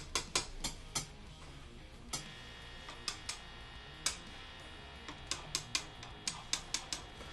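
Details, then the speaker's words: Guitar pickup tested by tapping it with a screwdriver with the amp volume up: crisp, irregular clicks over a low hiss, so this pickup is live and working; another pickup gives no sound, suspected shorting. "You put it on the setting, turn the volume up, and you'll tap it, and you listen for make sure it's making noise or not."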